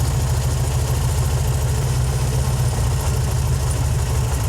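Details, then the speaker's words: 1968 VW Fastback air-cooled flat-four with dual carbs being tuned: with the volume (mixture) control screw turned in too far the idle goes low, lumpy and stumbling, then smooths out and runs happier when backed out a half or quarter turn. "And you can hear the differences when I turn these in and turn these out on the volume control screw. You can hear that difference."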